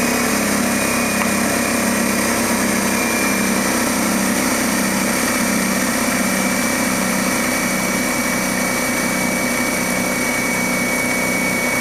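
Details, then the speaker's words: DeWalt D55146 air compressor: a steady motor-driven pump drone; a faulty check valve leaks air back after the roughly 200 PSI cut-off, so the pump kicks on again around 140–160 PSI and keeps cycling. The valve is to be replaced. "does as you can see it's going back down and it's going to kick on again about 160 or so and that's again because that check valve is letting the air by"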